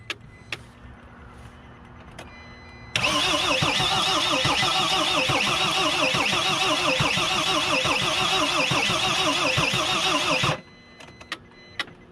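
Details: Mercedes Sprinter diesel after new fuel tank and fuel pump, battery on 200 A charger: starter cranks steadily about three and a half turns per second for seven seconds, never catches; no start, fuel pump electrical connector later found disconnected.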